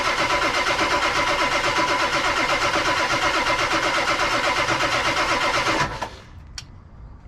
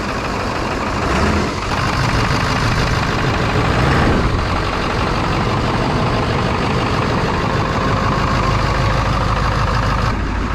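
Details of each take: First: 1999 Ford F250 Super Duty 7.3 Powerstroke diesel, abandoned over 6 years, first attempt on jumper cables: steady, even cranking at about three beats a second for six seconds, never catching; oil pressure not yet built. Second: 1999 Ford F250 Super Duty 7.3 Powerstroke diesel, abandoned over six years, first start with throttle wide open and glow plugs unknown: steady even clatter settling to smooth idle, no misses or knocks; some smoke, good oil pressure.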